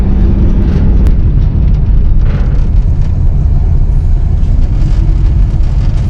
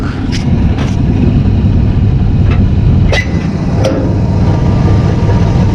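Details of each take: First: 1959 AMC Rambler 3-speed automatic, sat 40 years, after Seafoam Trans Tune, filter unchanged, first to second only: pulls away in first with smooth low drone, then quick clean upshift with no slip or flare; shifting now normal. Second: 1959 AMC Rambler 3-speed automatic, sat 40 years, transmission found empty and refilled, warmed to operating temperature, before Seafoam Trans Tune: engine drones at high revs for long stretch before slow upshift into second; gunked transmission suspected.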